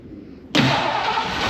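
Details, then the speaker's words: 1974 Ford Ranchero 500, carbureted 351 Cleveland, cold start after a couple of throttle pumps: short crank, catches abruptly into rough loud fast idle; choke not quite working right. "She don't, you know, choke's not quite working right. She's not fuel injected."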